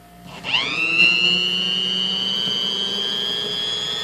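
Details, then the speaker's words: Vintage yellow Sunbeam Mixmaster Junior hand mixer after maintenance, run while the housing screws are tightened to check for binding: motor spins up in half a second to a steady, even high whine, no dragging or binding; runs healthy. "I'm going to turn it on up just tighten them down as I turn this on where we can hear if anything binds up which I'm not suspecting it will"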